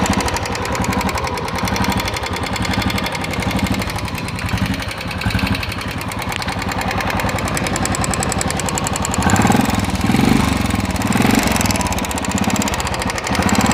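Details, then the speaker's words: Royal Enfield Bullet Classic 350 single at idle: sharp rapid metallic ticking that quickens as revs rise. The mechanic suspects a loose hydraulic (tappet/lifter) in the top end. "मैं आपके साथ में फिर एक bullet classic 350 के साथ में आपको बताता हूं इसके अंदर कुछ ऐसी आवाज आ रही है जो हाइड्रोलिक की आवाज आती है"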